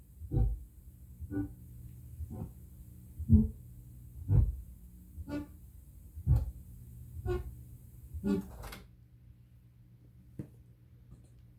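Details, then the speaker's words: Prerecorded cassette tape played back, volume raised about 10 dB: soft low thump returning about once a second over quiet hiss, once per tape revolution; "spokes" noise from a defect in improper bulk erasure. "Uh I would say it is a defect in bulk erasing the tape. Usually people call it spokes. You see it happens once every revolution of the tape."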